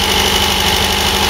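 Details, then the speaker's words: MGB with overhauled twin carburettors during initial adjustment, cold engine warming up: idle speed rising but uneven, lumpy beat with hunting; mixture a bit lean on both carburettors. "Obviously you can hear the idle speed coming up as the engine warms up, but it's lumpy. I'd say a bit lean at the moment."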